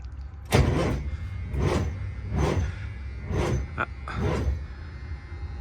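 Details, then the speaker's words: Peterbilt 362 cabover diesel after sitting four weeks in cold weather, batteries under 12 volts: slow, uneven crank strokes about once a second that never catch; no start, weak crank from dead batteries, needs charging. "It's only not even 12 volts. I'm 100% sure it's not gonna fire it up. We'll see. It was too cold. The batteries are dead. I don't think it's gonna even crank."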